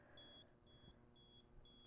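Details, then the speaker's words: LeakSmart water leak sensor held to a wet cloth across its two pins during setup test: four short, high, evenly spaced beeps about half a second apart, signalling a detected leak. "sometimes if you move too quickly you hear the beeping and remove the water before it successfully registers that it's detected a leak"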